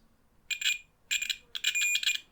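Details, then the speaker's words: DMTECH US133SDB radio, button contacts tested for continuity: the meter beep comes in broken bursts and keeps cutting out instead of holding steady. The button contacts are intermittent and look dirty, and the owner plans to scrape around them. "I mean you can hear it's it's not really okay so what I'm going to do I'm going to scrape a bit around these as well"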